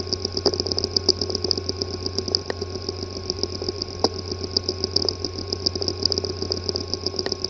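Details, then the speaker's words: WD Scorpio Blue 2.5-inch SATA hard drive (WD5000BPVT), not accessible by any computer: constant high whine and hum with sharp ticks about once a second. Cause is physical damage to the disk assembly. "The following is the sound from one of the hard drive which experienced disk assembly physical damage."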